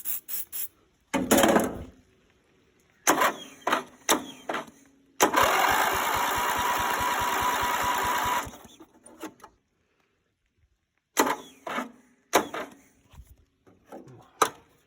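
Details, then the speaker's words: Greenfield Model 11 ride-on mower, Briggs & Stratton 11 hp, after sitting for years, new part fitted and fuel added: starter drags in slow labouring bursts, then it runs briefly; slow cranking, starter suspected, needs tune. "Not liking it. I think the starter might need a bit of... Well, she runs."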